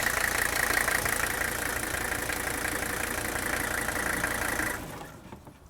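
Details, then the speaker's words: OM617 turbo diesel in a 1981 Mercedes 300SD, shutdown: even idle clatter then abrupt stop in about half a second with no run-on, indicating strong compression; healthy engine. "Now I'm going to go ahead and shut it off, and I want you to notice how abruptly it quits. This indicates how strong the compression usually is in one of these engines."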